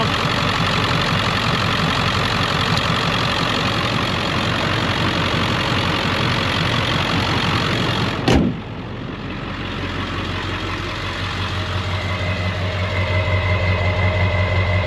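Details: 2001 Ford Excursion Limited, 7.3L Powerstroke diesel, 4WD, 142k miles, freshly serviced (coolant flush, oil, filters, new batteries), heard under the hood: steady, even low diesel clatter at warm idle, smooth regular beat, no knocks or misses; normal idle.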